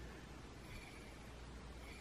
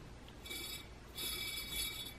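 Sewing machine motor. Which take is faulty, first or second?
second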